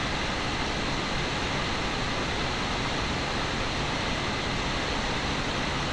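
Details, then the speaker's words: Steam Deck cooling fan after replacement with a new fan, running at about 5300 RPM, where it rattled before: smooth, steady airy whoosh with no rattle, ticking or scraping; fan now healthy, repair successful. "all right I think that's more than good enough as you can tell no rattles no weird it's just fan sounding like a fan so I just say Mission successful guys"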